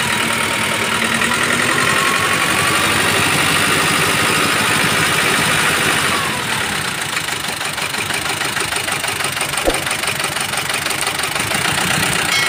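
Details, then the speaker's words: Mazda BT-50 diesel with rough running, cabin-wide vibration and no power: harsh, uneven clatter at idle with a loose rhythmic knocking; turbo removed during diagnosis, cause found to be a broken camshaft. "Inilah penyebab suara mesin yang kasar dan getaran yang terasa di seluruh kabin. Selain itu, alat ini juga tidak memiliki daya."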